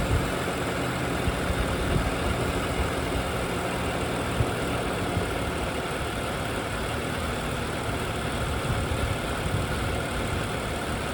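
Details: 2011 BMW 535i F10 N55 at about 109,400 miles, idling: smooth, even idle with loud, crisp direct-injection injector clatter, which is normal. No timing chain noise; engine healthy.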